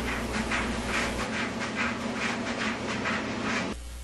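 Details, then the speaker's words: Whirlpool dryer: rhythmic swishing thumps about twice a second as the drum turns, then cutting out; noise from the tumbler, a loose baffle or coins trapped behind it. "let me show you how to take care of noises coming from the Tumblr"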